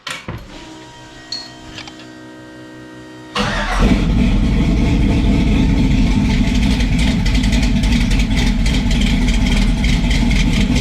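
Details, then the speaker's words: Sub-2,000 lb car of over 450 hp with eight individual throttle butterflies: after a quiet pause the engine catches and settles to a fast, steady idle. All butterflies sit slightly cracked open, and hand pressure on them drops the rpm. High idle. "i'm gonna have to figure out what is mechanically stopping these butterflies from going 100 shut uh because each one is a slightly cracked still i can put a little bit of pressure on them all while it's running and it will drop the rpms"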